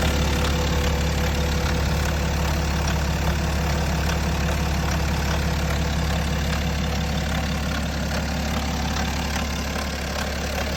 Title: BMW N57 Timing Chain Noise? #bmw #n57 #timingchain #automobile